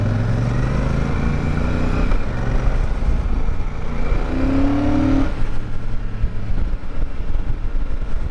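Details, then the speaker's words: Royal Enfield Super Meteor 650 cruiser, normal running: steady, low, even mechanical thrum with a short smooth rise in revs and no knocks or rattles; fairly quiet. "still has a nice mechanical thrum to it and has a lot more character than the parallel twin offerings from the Japanese brands plus it's fairly quiet meaning that you won't be a public nuisance"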